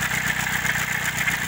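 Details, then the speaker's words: Chevrolet Celta at idle with a recently started noise: a steady metallic scraping hiss rides over the engine; owner thinks it is the rusty, worn water pump grinding metal on metal. "eu acho que ela simplesmente a bomba d'água galera olha o estado da bomba d'água do certinho é por isso tava fazendo aquele barulho de rangido né metal com metal né"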